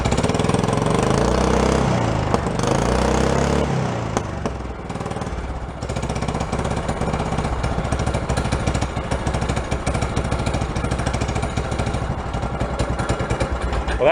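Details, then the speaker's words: Cold start on choke of an amphibious forward/reverse vehicle that sat unused a long time, on old alcohol-free racing gas and a deep-cycle battery; brief crank, catches and settles into a steady, slightly lumpy run; easy start. "that was an easy cold start. You're gonna stay running, but the battery held up pretty good too."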